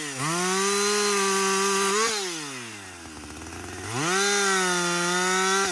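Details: Husqvarna 562XP 60cc chainsaw, after the shop reflashed its software for dying when hot, hard starting and stumbling, bucking dead windfall with about two-thirds of a tank used: crisp high wail at full throttle sags as the chain bites, then recovers cleanly between cuts; normal running under load.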